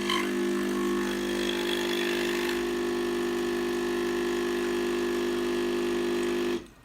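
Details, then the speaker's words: De'Longhi Dedica EC680 espresso machine, warmed up, brewing with loaded portafilter: steady buzzing pump hum for about six seconds, then abrupt cutoff to near silence as the machine resets; software glitch or sensor failure suspected, not confirmed. "And then it stops, and then you can't do absolutely nothing. So you need to go again."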